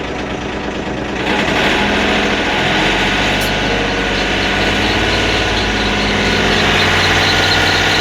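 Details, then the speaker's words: Sawmill engine, not yet warmed up, idled up: a steady high-pitched squeal from visibly loose, flexing drive belts, which occurs only while warming up. The belts are then tightened. Loose drive belt squeal. "Hear that squeal? That's not good. Alright, so we're going to correct that."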